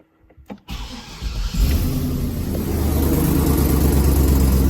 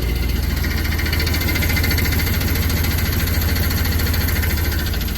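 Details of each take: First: 2004 Chevy Silverado 6.0L gas V8 with 4L80E transmission, after flex plate replacement: cranks briefly, catches cleanly, settles into a steady even idle with no knock; slight tick from a bad exhaust manifold remains. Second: 2004 Chevy Silverado, 6.0L gas V8 with 4L80E transmission, idling with a loose, uneven, intermittent knocking tap underneath that fades on throttle; bad cracked flex plate.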